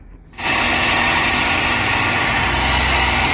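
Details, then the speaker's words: 2002 Chevrolet Silverado, Vortec V8 gasoline engine, hot: engine starts and settles into a loud, harsh, gritty roar with a rough grinding edge over the idle; grinding noise of unknown source. "this is the sound of my engine as you hear there was a grinding noise when it's very hard the engine has a grinding noise i don't know why but it happened"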